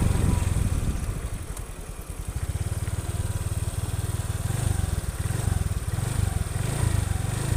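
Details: Honda Vario 125/150 FI scooter on a test drive after injector and throttle body service, full internal engine cleaning and part replacements: a smooth, even exhaust beat with no knocks or rattles; normal running engine.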